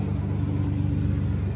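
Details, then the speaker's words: Ford Ranger after an engine swap, idling with a replacement drive belt fitted: an even, steady low rumble with no flutter, squeal or miss. It sounds much happier with the new belt and is smoothing out; a tick was noted earlier. "We found another belt in the back to put it on. It sounds a whole lot happier with that one."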